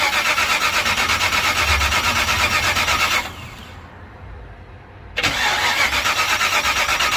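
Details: Old car being jump-started, gas held wide open without pumping to avoid flooding, fuel reaching the filter: starter cranks steadily about three turns a second, pauses, cranks again, engine never fires; cranks but no start.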